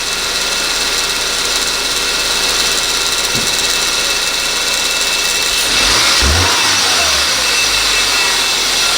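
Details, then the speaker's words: 2014 Subaru Forester, FB25 engine, 68,000 miles, running under the hood: a loud hissing, rattling roar that swells with revs and changes over time. Noisy A/C compressor, a common fault on this generation; A/C not working, to be replaced with a new unit. "oh yeah do you hear that nightmare that's intense this seems to be pretty fairly common problem on this generation of the subarus"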